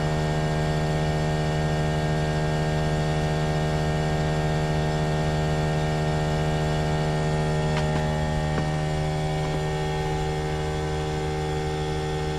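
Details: Trane XV18 heat pump outdoor unit, installed December 2021: a loud, steady drone with a strong low hum and even tones. The unit runs far too noisily and is considered a lemon.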